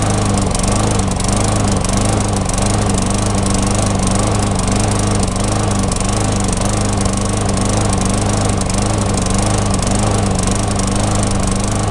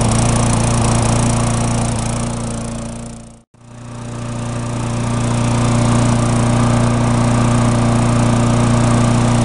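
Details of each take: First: Tecumseh engine on a mulching mower, before carb repair: ragged uneven beat with slight hunting, missing and surging; owner suspects fuel starvation, as the bowl nut passages are clear but the spark plug shows white lean deposits. Engine surging and missing. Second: Tecumseh mulching mower, formerly surging and non-starting, after carburetor repair and about five minutes of running: steady, even drone at constant pitch with no misses or surging. It has settled right down and runs well.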